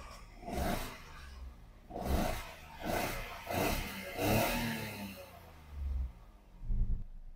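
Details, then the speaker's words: 2011 Toyota Aygo 1.0L with misfire code P0300, after swapping spark plugs and coil pack, engine light off: uneven lumpy idle with a rolling beat swelling every second or so, slight vibration remains; one cylinder missing. "I'm going to start the car have a look now engine management light disappeared but still car has a slight vibration that means something not"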